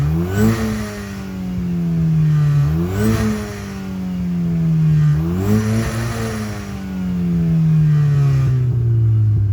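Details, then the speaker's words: 2007 VW GTI Mk5 2.0 with upgraded K04 turbo, out of limp mode after high-pressure fuel pump replacement, cat removed: three clean revs with smooth turbo whoosh and even drop back, no stumble; normal turbo spool. "hopefully you guys can hear the turbo spooling up here in a second"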